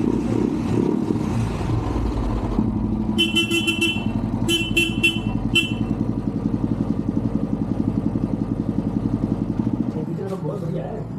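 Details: Royal Enfield Classic 350 BS6 at the service agency: even single-cylinder thump at steady idle, a few horn toots over it; normal clean idle.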